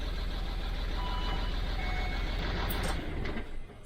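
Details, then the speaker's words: 2006 Land Rover Discovery 3 TDV6 2.7L diesel after full engine rebuild, first starts: uneven lumpy chug for three seconds then dies away; one cylinder's injector not firing, misfire; injector fault did not return on second startup. "what so we have a cylinder for injector is not firing"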